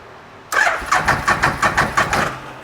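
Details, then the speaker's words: Bennche Spire 800 UTV after injector cleaning cranks in even pulses about three a second but never starts; injectors not spraying fuel, earlier misfire noted, ECU codes to be read next. "Nothing at all. Nothing at all. Why would those guys not be shooting?"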